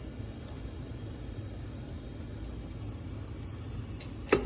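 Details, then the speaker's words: 1998 Honda XR400 during a cylinder leak-down test: a steady, quiet air hiss from the crankcase breather. Air is escaping past the piston rings as blow-by, with a large pressure loss. "so it's coming out of the Breather that works out as Blow by"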